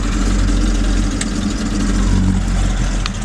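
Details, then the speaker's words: 1978 Chevy K5 Blazer, restored, 350 crate V8 with Holley Sniper fuel injection still self-tuning, small 270 cam, TH350; deep mellow loping idle, uneven choppy beat, no knocks or misses; normal idle with lumpy cam. "nice a very deep mellow tone with a small camp 270 common"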